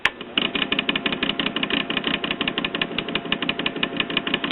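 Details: 1946 Espey 78 rpm record player after servicing and a new power cord: a light, fast ticking patter about three per second over a soft, steady motor hum. Normal turntable motor running.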